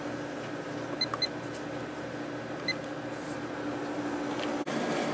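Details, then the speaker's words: Reassembled late-90s Whirlpool Accudry 40-pint dehumidifier (reciprocating compressor, likely Embraco, Emerson fan motor) on low fan, about 6.4 A and 469 W: steady, even hum with faint constant tone, no knocking or rattling; running smoothly. "Let's turn it on and let it run for a while on low. It's at about 6.4 amps and 469 watts."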